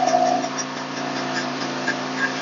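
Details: Philking gasoline inverter welding generator, recoil-started, under load running drill, grinder and welding at once: steady, even drone holding constant pitch without hunting or stumbling; carrying load smoothly.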